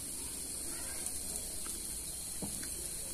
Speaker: Nah kalau kalian bisa dengar di bagian couple begini diet ini terdengar suara percikkan dan desisan ya Hai jadi itu adalah tegangan tinggi yang bocor